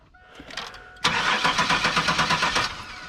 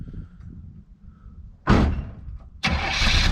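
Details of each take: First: Car revived after years sitting: starter spins the engine at about six even beats a second for under two seconds and it never fires; fuel pump now working with pressure at the Schrader valve, consistent with no spark. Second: Old car, revived after years sitting: short burst of cranking, then it catches within a second and settles into a strong, even idle; healthy start.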